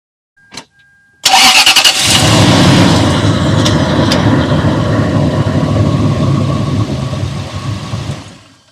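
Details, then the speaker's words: 2004 Toyota Sequoia after replacing the missing O-ring between master cylinder and brake booster: click, brief crank and start, steady idle with no brake booster vacuum hiss, normal; before, a delayed hiss and intermittent loss of brake assist. "So you don't hear the hissing sound, and also it had a delayed hissing sound, like the vacuum was being released or the air was actually rushing into the booster, depending on how you want to look at it."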